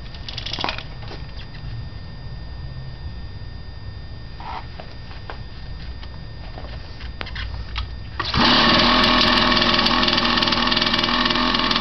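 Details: Unidentified vintage 50cc two-stroke trials minibike, just bought and got running, kickstart on left: quiet ticking, then about eight seconds in the engine catches and runs with a steady even buzz; healthy.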